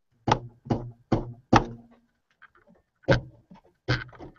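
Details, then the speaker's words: Big Box 3D printer (UK edition) during assembly, drive belt plucked while tensioning: short low dull thuds dying quickly with little ring; this belt seems slack compared with the other side. "See, this one seems slack."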